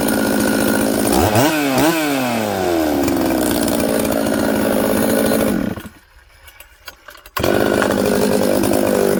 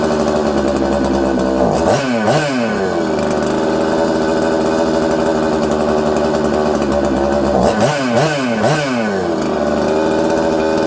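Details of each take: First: Newly built 266 chainsaw after sealing an air leak with assembly silicone around the oil pump O-ring: crisp revs rise and drop cleanly, and it settles quickly to a steady idle in any orientation. Normal idle and revving. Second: Newly built 266 chainsaw: uneven idle, flaring twice to high revs and sagging slowly back down, hard to idle and tune; owner suspects an air leak leaning the mixture.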